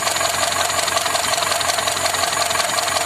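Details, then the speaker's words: ZAZ Tavria engine, cold, valve cover off: light even valve clatter, mostly crisp high ticking, no heavy knock; valvetrain sounds normal now. "Ну, порядок, машина холодная. Никаких стуков нет."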